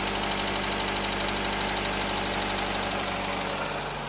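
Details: 2009 Nissan Cube CVT (195,000 km) idling steady with no whine after servicing: the transmission had been overfilled with dirty fluid, and cleaning the filters, which held metal shavings, plus fresh fluid fixed the whine.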